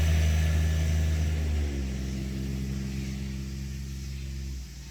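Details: 2019 John Deere Gator XUV 865R diesel started and driven out after new synchronous drive belt replaced burnt factory belt (jerky in high range, ~600 miles): steady low engine drone, even belt hum settling smoothly as it pulls away, no slipping or jerking; normal running.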